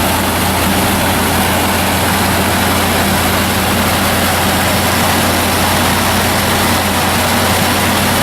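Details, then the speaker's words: Chevy started right after a power steering pump and pulley installation; steady, smooth idle with no knock, squeal or whine from the belt drive. Normal idle. "Okay, the pump's all installed. There's the gear. Okay, so now we'll start it up."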